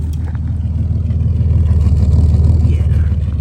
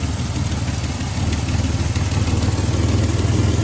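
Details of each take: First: 1967 GMC C1500 half-ton long bed with factory big-block 305 V6, just revived after sitting 20 years, fitted with glass pack exhaust: deep, even idle burble with steady exhaust pulses, no misses, taps or knocks; normal idle. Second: 1967 GMC C1500 with a big-block 305 V6 and glass-pack exhaust, running after sitting 20 years: deep, slightly lumpy idle with loud raw exhaust note; suspected exhaust leak on one side and a slight misfire.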